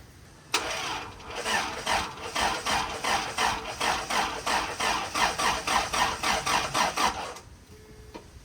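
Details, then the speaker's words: 1994 Toyota Pickup with 22RE engine, EFI fuse and coil disconnected (no spark, no fuel), cranked to build oil pressure: starter spins the engine evenly at about 3.5 compression pulses a second for seven seconds, no firing; healthy crank. "I'm just going to crank it over for a while and have it build oil pressure before actually connecting gas and spark. So, let's see if the starter still works. See if she spins over easy."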